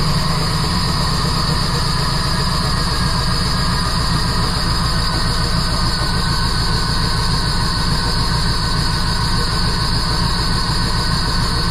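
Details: 1977 Jeep CJ7 with a 350 small-block Chevy and Holley Atomic EFI throttle-body injection, tuned to about 14.0 air-fuel ratio at idle. Idle is rough and lumpy at about three uneven pulses a second. New O2 sensor and tightened exhaust flange bolts brought no improvement; the cause is still unknown.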